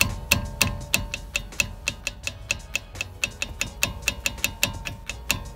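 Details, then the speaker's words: VW Vento front suspension: loose front brake caliper struck by hand gives sharp, uneven metallic clicks, three or four a second, as it knocks on worn guides. Owner believes this is the noise heard over road bumps. "expongo que es por el peso del auto el que suena cuando pasamos irregularidades"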